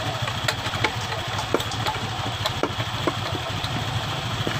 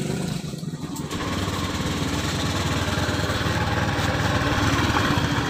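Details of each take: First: 2015-2016 Honda Beat ESP scooter with rough CVT under throttle, after replacing crushed rollers and worn roller housing: steady, even drone with no grinding, slipping or rattle; normal CVT running. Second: 2015-2016 Honda Beat eSP scooter: coarse, gritty rumble with uneven rattly beat when throttled up, not felt at idle; worn, broken variator rollers found in the CVT.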